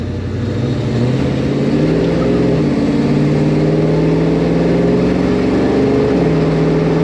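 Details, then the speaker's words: 1964 Chevelle V8 with Holley carb on a road test after fixing a fuel delivery problem, full throttle through all gears: strong pull, pitch climbing cleanly at each shift, no bog or stumble; problem fixed, normal acceleration. "I think uh I think we fixed it yeah she's quite a bit more happy now sounds a lot healthier we H all the gears that problem is fix"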